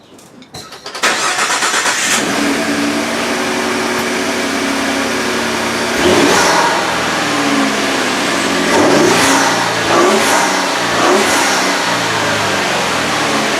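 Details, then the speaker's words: 2016 Ford F-150 3.5 EcoBoost after installing S&B 75-5081 cold air intake and UPR catch can: quick crank and catch, steady idle with a few clean throttle blips rising and settling smoothly; no knocking or rattling, sounds good. "Sounds good. Let's see if we get any better fuel economy."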